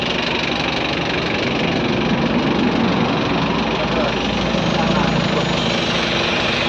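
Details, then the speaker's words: Ford Everest diesel, hard starting in the morning, cranks with an even churning at about four beats a second that never catches; traced to injectors back-leaking, especially number two. "Yan po meron tayong Ford Everest hard starting sa umaga kailangan katihan"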